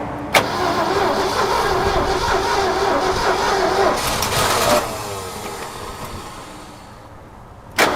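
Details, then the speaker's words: Abandoned 1969 Ford F100 that sat over 30 years: fires and runs roughly while cranking, then fades and dies once the key is released. Suspected ignition switch not feeding the coil in run, to be tested with a wire run straight to the coil. "It's acting like it's losing the fire as soon as I let off the key. So I'm gonna run a wire straight to the coil there and just try that, see if there's something funky in the switch."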